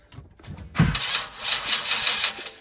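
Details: 2018 Dodge Demon, burned at salvage, rebuilt over a year and rewired from scratch. The starter cranks briefly, then the V8 catches and fires into a rough, loud run and keeps running; it starts for the first time.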